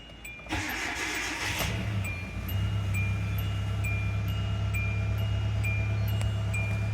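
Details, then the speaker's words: 3rd-gen Hyundai just after a timing belt change: short crank, clean catch and a steady, even idle with no misses or knocks; sounds healthy, though the check engine light came on. "sounds pretty good yeah I like it"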